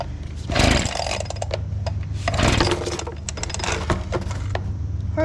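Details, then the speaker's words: Old Echo leaf blower abandoned about 3 years, on cold-start setting: sputtering bursts that catch briefly and die, never settling; hard starting and rough running, owner suspects spark plug/spark issue. "as you guys just saw this thing is not wanting to fire up so what we're going to do take off the spark plug"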